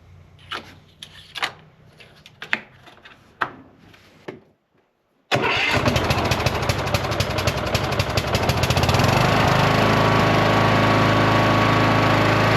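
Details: Cub Cadet lawn tractor mower after repairs, started following an oil and filter change to fill the filter: a few tries, then it catches and runs steady and even with no knocks; running normally.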